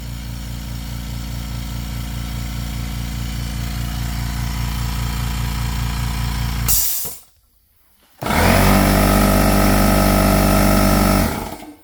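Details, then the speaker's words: Ultra-quiet 2-gallon compressor: fast even piston pulsing about four per second, brief stop, smooth steady restart; slightly louder the first ~5 seconds then quiets down a lot; normal running. "this thing is insanely quiet okay for the first like 5 Seconds that it's running it's slightly louder but after about 5 Seconds it really quiets down quite a bit okay"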